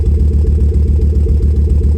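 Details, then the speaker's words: Volvo 850 R, just back on the road with timing belt tracking well, idling right after start-up: deep, even idle with a steady low throb, no knocks, ticks or squeals; little exhaust smoke; oil to be checked for coolant mixing. "Sounds good. Gonna let it idle for a few minutes, then check the oil."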